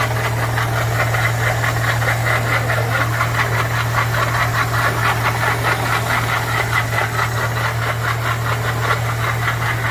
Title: This NOISE in the car ENGINE indicates that there is a PROBLEM with the WATER PUMP